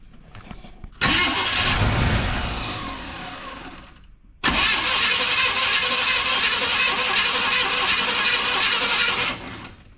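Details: Abandoned Chevrolet C10 square body after an ignition module fix: it cranks, catches, stalls, then restarts and holds a steady, even idle with no knocks or misses. The carburetor is still to be rebuilt.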